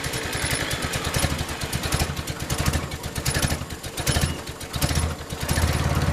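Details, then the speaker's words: Willys Jeep four-cylinder just after carburetor rebuild and reinstall with better fuel filters: fires up with a lumpy, surging beat rising and falling as the carb settles in; may need adjustment. "well let's uh fire it up and see if we need to make any adjustments"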